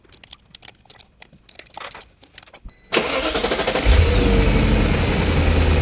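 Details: BMW E39 showing a cylinder 2 misfire code after bank 2 cam position sensor and MAF replacement, before the fix: after clicking, engine cranks, catches and revs but runs uneven and lumpy; misfire later traced to the cylinder 2 ignition coil.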